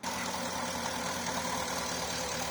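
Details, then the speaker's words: Porsche Cayenne 955 running rough under 3000 rpm with misfire fault, left-hand fuel pump alone bridged: ragged, uneven idle under hissy engine bay roar; only 2 bar versus 4 bar spec, confirming faulty left-hand fuel pump. "can see that one's not running properly running near 200 just two bar that's two bars"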